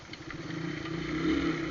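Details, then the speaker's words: 2012 Shineray Phoenix 50cc with rebuilt engine and a hole in the exhaust, revving while riding: raspy, crackling exhaust note with pops. Exhaust leak. "Olha o barulho, galera. Esse escape tá fazendo barulho, meu parceiro."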